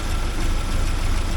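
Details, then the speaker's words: 1979 Porsche 924 after timing belt work, cold engine in snowy weather: low, uneven, lumpy idle with no clean rhythm until the warm-up regulator reaches temperature. Blipping the throttle cold stalls it. "it runs like you can hear how well it's running here now until this thing here warms up a bit once that warms up a bit then it'll uh smooth out the idle and everything"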